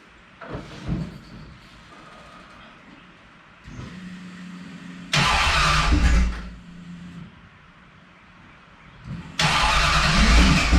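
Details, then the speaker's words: 1969 Plymouth Valiant, stock 360 Magnum V8 with GT45 turbo and FiTech EFI, first start after new cylinder heads: brief crank, catches cleanly, steady idle, two strong throttle blips; slightly smoky from oil put in cylinders, no blow-by seen; normal start-up. "little smoky, all the oil and the cylinders and all that I put in there. First fire up. Didn't see any blow by or anything."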